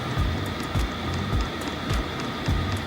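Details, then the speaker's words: Diesel air heater starting up at an off-grid high desert homestead, fuel pump mounted floating in midair: soft low pump thumps about every half second under a rising fan hum as pump speeds up and fan blows harder. Normal startup. "the pump is starting to pump faster the fan is starting to blow harder these are these are signs that it's working"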